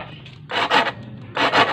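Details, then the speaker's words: Honda Vario 160 with ACG starter-generator (no separate starter dynamo), no MIL codes: two short raspy scrapes like grating coconut, about half a second each, no cranking rhythm; starter slipping against jammed drive pulley, engine won't crank or start. "Oke bisa didengar ya cuma sesep sesep sesep sesep kedengaran ya kayak suara orang marut kelapa sukuk suuk sukuk ya oke secara otomatis motor ya tidak bisa dinyalakan"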